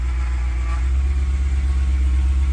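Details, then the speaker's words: BMW 1M with a P65 4.4L V8 from a Z4 GT3 swapped in, first start after the engine was cranked to build oil pressure: deep, steady, smooth idle burble with even pulses and no knocks; sounds better than the S65. "it runs for the moment it's going to run for good I think it it sounds good sounds smooth it does sound decent to you there it sounds better than the a65"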